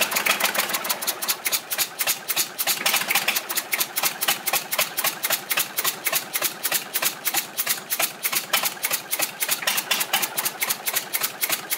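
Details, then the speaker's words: Volvo 320 tractor with Perkins indirect-injection diesel, first start after rebuild, idling with rocker cover off and glow plug not fitted: sharp fast puffing ticks, about 3.5 per second, as combustion gas blows past an injector seat. Injector to be removed and resealed. "avem un injector care suflă pe lângă el să vedem dacă nu l dăm jos"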